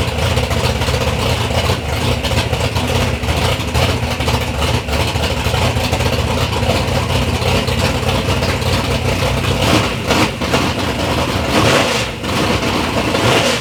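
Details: Third-gen Camaro with big-block Chevy V8, first start-up after years of building: deep, loud, steady rumble with a couple of light throttle blips, even firing with no knocks or misses; normal, healthy idle.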